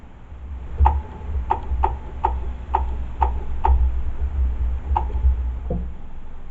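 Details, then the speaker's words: 2008 Mazdaspeed 3 AC compressor jumped directly at the relay socket after compressor and accumulator replacement; system holding vacuum. Sharp, crisp metallic clicks, about eight in five seconds, over a low hum; the compressor clutch engages normally. "so now when you jump for this you can kind of see a little spark and you can also hear the uh the clutching"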